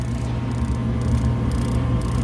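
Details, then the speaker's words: Warehouse unit heater with terminals jumped out: sharp spark ticks about twice a second over steady inducer motor hum, strong spark but pilot never ignites; faulty original pilot assembly, replaced with new assembly; pilot gas pressure at valve outlet checked next. "I don't know if you can hear that but we got a spark there and it's a strong spark because I've checked with my mirror but we don't get any ignition of the pilot"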